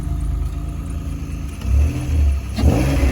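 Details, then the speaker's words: 2004 Honda Accord 3.2 V6 after installing a new PCD and J-pipe, exhaust retightened: deep, even V6 rumble with a couple of quick throttle blips and no puffing or ticking from the exhaust; sealed, healthy, owner likes the sound. "I like the way it sounds"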